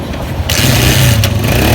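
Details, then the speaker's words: Honda CG125 Euro 2 motorcycle after pushrod replacement and gauge-set adjustment: fires after a second's cranking and settles into a steady, even single-cylinder beat with no tappet tick; engine running normally. "o zaman İnşaallah bisikletinizin sesi de güzel olur motorunuzun sesi de güzel olur ve tıkır tıkır ses geliyor ondan ses gelmez"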